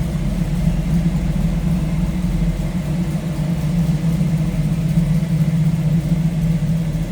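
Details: 1929 Ford Model A street rod, 283 V8 with three deuces, Edelbrock intake, roller cam, headers, 700R4 automatic, idling with hood open: deep, even burble, steady beat, no ticking or knocking; sounds healthy.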